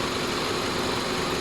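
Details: 2004 Honda CR-V (2nd gen) whose AC stopped cooling with refrigerant full; after fuse replacement the compressor engages. Even idle with a steady hiss and hum, no clatter or squeal. AC compressor running normally.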